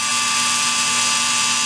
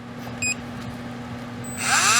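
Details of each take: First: REDS Racing VX4 Pro Stock 17.5T brushless motor on test bench at 45 degrees timing, about 4.6 amps: loud steady high-pitched whine with faint buzzing edge; vibration at high rpm, suspected in the shaft. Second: REDS Racing VX4 Pro Stock 17.5T brushless motor, factory setting on auto test: spins up to a clean, steady high whine and winds down smoothly, fairly quiet; 1.5 A, 2695 kV, 19.7° timing.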